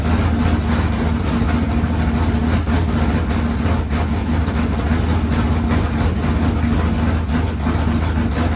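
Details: Freshly rebuilt 383 small-block V8 for a C10, running on an engine stand: deep even rumble, steady idle with smooth lift when revved, no knocks or ticks; sounds healthy, normal running.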